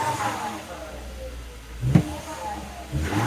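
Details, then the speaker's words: 2007 Volvo XC70 after a P0303 cylinder 3 misfire stumble that appeared when warm: smooth, even idle with a couple of clean throttle blips and no stumble or skip. Owner thinks it is fixed. "There we go. I'll have to leave for a couple hours though. No stumble. I think I fixed it."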